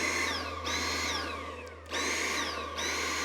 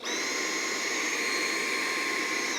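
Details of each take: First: Dyson V8 cordless stick vacuum on a Milwaukee battery adapter, with a different vacuum head: motor whine sags in pitch and loudness then snaps back about every second; surging, cause unknown. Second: Dyson cordless stick vacuum with dust bin fitted: steady high whine holding even pitch without surging, winding down at end; normal running.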